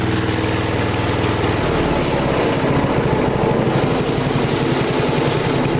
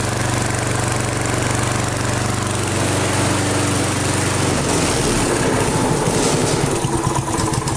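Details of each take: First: Flea-market lawn mower with Briggs & Stratton 5 HP engine, primed three times, half throttle: rapid, even single-cylinder buzz with steady beat; runs smoothly and strongly. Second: Flea-market lawn mower, Briggs & Stratton 5 HP single, half throttle after priming, air cleaner off: runs fairly steady with slight rise and fall in speed, then dies; owner suspects hunting from missing air cleaner. Mild idle hunting.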